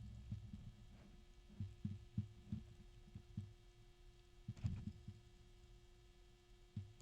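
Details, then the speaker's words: GamePower Skadi V2 360mm AIO pump turned so its intake is not mounted low, letting air collect; low pump hum broken by irregular gurgling thumps and bubbling pops: noisy pump from trapped air. "So most likely, this is designed with the actual pump intake mounted down here. See how noisy that is? So now it's got air"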